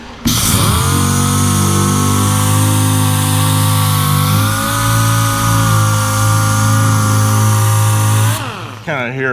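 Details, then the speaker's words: Worn-out DA sander used for bodywork on a 1966 Chevy Impala: steady, fairly low hum that never climbs to proper speed; the sander is underpowered and won't reach RPM, so it is being replaced. "how low powered it sounds and it just it won't turn the RPM. It just won't do it."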